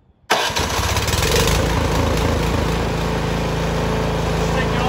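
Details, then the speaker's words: Snowblower, cold start with choke on, primed three or four times, key in, electric start button: fires first push and settles into a steady, even idle; normal start. "make sure the key is in it and then there's a button right here so you're just gonna hit the button it should fire right"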